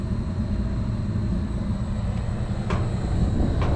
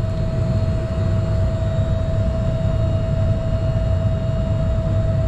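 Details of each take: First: York packaged rooftop unit (furnace and AC) on a no-cooling service call: the thermostat is set to cool at 68, the contactor pulls in, and the evaporator fan motor runs with a low, steady rumble and no knock or squeal. The belt is a little wobbly but okay; normal running. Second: York packaged rooftop unit (two compressors, three contactors) serving 10-story building hallways, not cooling: steady fan hum over low rumble, no compressor start or contactor clack; compressors not running, apparently only the indoor fan. Cause not yet found.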